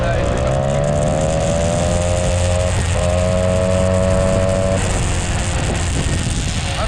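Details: Peugeot 103 moped fitted with a 65cc Airsal T3 two-stroke engine on its first start after assembly, throttle worked directly by the cable: crisp note rising and falling cleanly as revs climb and drop freely; running well.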